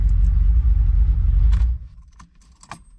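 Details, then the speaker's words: 1972 Ferrari 365GTC/4 V12 non-runner, first start attempt after checking all the carburetors (all squirting, fuel rail filled): deep rumble as it catches, runs about 1.5 seconds and cuts out. Fuel delivery through the carburetors was the fault. "let's see if it'll um fire up because uh checked all the carburetors I think they're all squirting and the fuel rail is filled and uh let's see what happens look at [Music] that we're"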